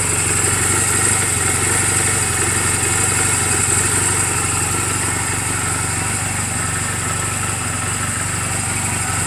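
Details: 2007 Honda Rebel 250 idling in neutral just after an oil change and valve clearance adjustment; steady, even putter with no ticks or misses. Mechanically sound, only cosmetic flaws; charging reads 13.2–13.4 V running. Normal clean idle.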